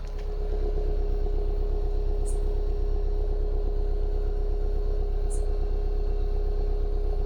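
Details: Mitsubishi Lancer after fixing misfire and poor throttle pickup caused by rusted plugs, following an engine-bay wash. Smooth, steady idle with an even beat and no misses; healthy running engine.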